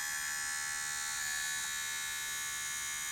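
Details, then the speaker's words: Sony Digital 8 camcorder that loads from the bottom, during playback: a continuous high, raspy buzz with fast flutter, as the spinning video head drum seems to scrape the cassette lid. A possible head clog, or a mechanism needing a tap underneath, is suspected. "like the head is scraping on the cassette lid. Let's see if it actually plays anything. Probably make a dreadful noise."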